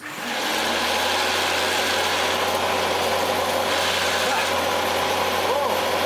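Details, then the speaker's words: Hitachi Powerhouse CV-460D 600 W upright vacuum, reclined with a slightly thinner belt fitted, brush roll spinning: steady motor hum and even brush-roll whirr with some wheel flapping, otherwise smooth; normal running. "And a lot of that is these wheels flapping around. That sounded quite smooth."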